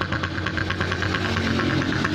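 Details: Honda Supra X 125 motorcycle: uneven, snoring rough idle from low vacuum, caused by a cracked engine breather hose split right at the clamp.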